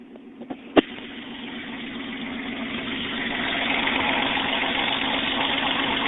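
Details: 1994 Toyota 4Runner, 3.0L V6, after a top-end rebuild: a quick crank catches and settles into an even, steady idle with no knocking or ticking; normal, healthy idle.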